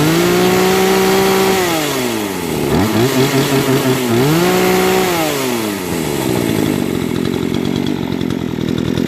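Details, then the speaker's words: Brand-new Remington RM-4620 20-inch chainsaw that stalled from sawdust in the carburettor, after carb cleaning and high/low mixture screw adjustment: idle climbs cleanly to a screaming rev and snaps back, crisp throttle response, no bogging. "right now it's idling great check this up very responsive and my throttle launch"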